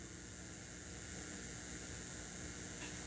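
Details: Crate CA series acoustic amp, gains at 0, master at 3 o'clock, reverb being dialed in, no signal: constant loud hiss with no tone, like steam; aging reverb DSP chip suspected as the source of the white noise.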